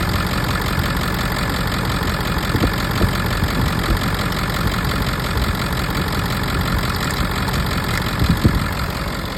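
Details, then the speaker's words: Ford 7.3 Power Stroke diesel truck, low mileage, idling on a very warm day after an instant start; even steady diesel rumble with no misses, knocks or surging, no blowby at the oil cap, healthy. "As you can see, it starts right up, which is what you want in a diesel. It doesn't need to sit there and turn over, especially on a hot day, which is a very warm day."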